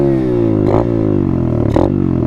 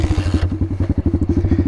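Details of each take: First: Dirt bike launch demo: engine held high, note sagging slowly as clutch is let out slowly under heavy throttle; clutch slipping and burning the plates. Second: Dirt bike just fired up in neutral: settles into a quick, even thump around sixteen beats a second, no clatter or misses; healthy idle.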